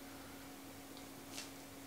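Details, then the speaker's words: Dual Xeon server on a Gigabyte board with an EVGA 1000W Gold PSU, during power usage testing: steady fan hum with faint scattered ticks from the 4TB hard drive seeking and reading, louder than some fans. Normal. "that four terabyte hard drive that's in there is louder than some of the fans you can really hear it through and it's just you know that's just seeking it's just reading"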